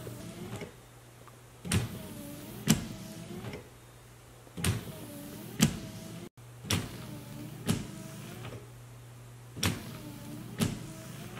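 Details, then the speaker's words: 2014 GMC Terrain wipers after repair: the broken wiper linkage was replaced and the original motor reinstalled, and the wiper was repositioned about 2 inches from the A-pillar. A steady motor hum, smooth sweeps and a soft thump at each reversal show normal wiper operation. "just to show you I did reposition that wiper now it's a good maybe 2 Ines away from the edge of that a pillar so very happy with these results"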